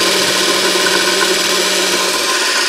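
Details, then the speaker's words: 24 V DC motor (prime mover for a 1943 GenEmotor loop project) after service, seals removed, very thin oil, no bearing caps: smooth, even hum, light brush hiss, bearings faintly audible, no arcing; current draw dropped from 3.96 A to about 1.9 A. "And it's running away quite nicely there, fairly quiet. You can hear the bearings a little bit because the oil is very thin. And there's no caps on the bearings."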